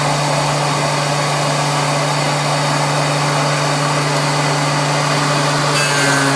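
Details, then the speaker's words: Planer cut after fitting a Grizzly spiral (helical) cutterhead to a 13" DeWalt planer: steady motor and fan drone with smooth, even cutting hiss, no chatter; owner finds it much quieter, the dust-blowing motor now loudest; cuts cleanly. "Probably gonna cut in some side by side so you can hear it, but to my ear it sounds way quieter. The loudest thing now is the freaking motor blowing out all the dust out of there."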